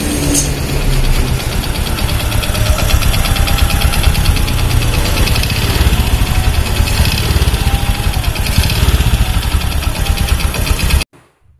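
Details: Honda Supra X 125 idling with quick, steady metallic "tek tek" ticking from the clutch cover, loudest on the right side; centrifugal clutch linings worn down to bare metal, causing rough engine and power loss.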